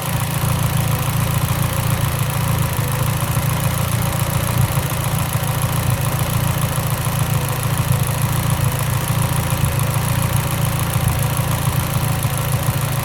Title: Evo x lean idle misfire 2